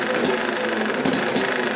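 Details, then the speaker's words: Chinese Banggood model hit-and-miss engine, 6-volt battery ignition, muffler off, flyweights interrupt intake valve to coast: fast light ticking while coasting broken by louder firing pop about every second; normal hit-and-miss running. "I believe on the old engines, the original full-size versions of a hit or miss engine, this was a fuel conservation method."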